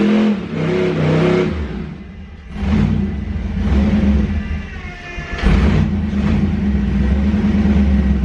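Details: Duramax diesel truck with the automatic transmission taken from the owner's poor brown truck: revs surge up and down under load without the truck taking up drive; the transmission is slipping and needs replacing.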